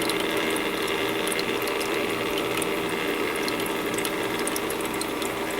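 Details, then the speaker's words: Master Chef countertop ice maker with brand-new replacement water pump, running while being cleaned: continuous fine ratcheting rattle over circulating water, rough for a new pump but no whine. "but yeah for brand new that really doesn't sound all that great but it's not whining so I guess there's that"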